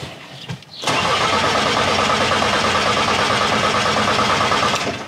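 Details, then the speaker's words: Bus diesel at about 10,000 km that died on the motorway after a noise, freshly charged battery: starter spins it quickly and evenly, about three turns a second, without catching; crank no start, owner suspects fuel supply problem. "Je pense que le moteur tourne très, très vite, mais il ne démarre tout simplement pas."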